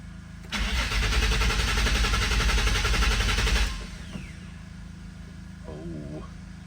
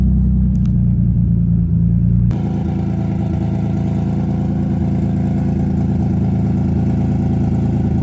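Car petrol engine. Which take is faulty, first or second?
first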